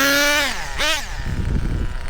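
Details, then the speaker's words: Upgraded Associated Nitro TC3 10-scale nitro touring car with two-speed, running on track: high screaming revs sag into a rough, burbling low note; low-speed mixture a little rich causing bog, two-speed shifting early. "a little rich on the low end. That's why it bogs down."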